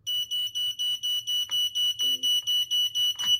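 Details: 1993 0918 Escape Light smoke alarm on test: loud, high-pitched beeps repeating rapidly about four per second in an even pattern; alarm sounds normally.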